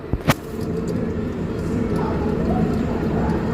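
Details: Mercedes-Benz 1721 bus, half-shaft removed, steady low growl from rear differential carrier bearing, rising with speed; driver complained of roaring above 60 km/h.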